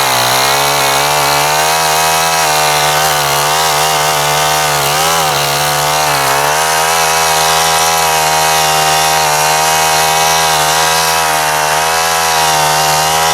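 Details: Honda FG110 tiller mixing compost and pine bark chips into garden bed: steady buzzy single-cylinder drone sagging slightly as tines bite then recovering, firing evenly; healthy running under load.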